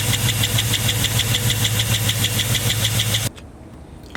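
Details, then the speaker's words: LS-swapped Caprice with a 4.8 V8 from a 2007 Silverado Classic, idling: quick steady tick over the engine note. After the heads were pulled, the cause was found to be one failed lifter out of 16. "finally found out what the uh what that ticking was it was the lifter there we go it's just that one lifter out of all 16"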